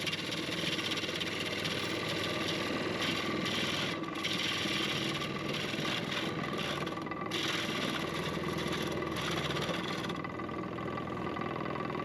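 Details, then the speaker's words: Lathe turning a cracked, punky, void-filled 12-inch Redgum bowl blank at about 1200 rpm: fast drone with constant dry rattle and chatter of loose tools on the bench, caused by vibration from running so fast. "You can hear all that rattling from it running so fast. That's all the tools down on the bench."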